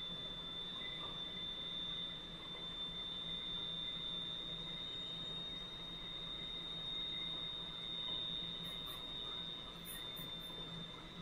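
A steady high whine over a low, even hum with a faint gritty hiss: the wheel is cutting the valve stem tip smoothly and normally.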